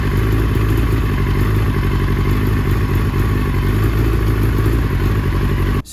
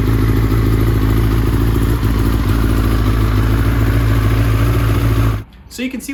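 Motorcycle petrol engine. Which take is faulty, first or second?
first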